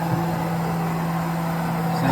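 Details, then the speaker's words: Haas VF-2SS 2009 vertical CNC mill, about 4,325 power-on hours, running factory spindle warm-up program: clean steady hum with no grinding or rumble as spindle reaches 10,000 rpm; normal spindle at high speed. "All right, we just hit 10 grand. It's still exercising."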